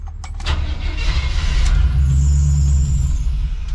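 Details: Chevy square-body crew cab with TBI, right after a tune-up with new cap and rotor: catches, runs roughly about three seconds, then dies; won't hold idle unless throttle is held.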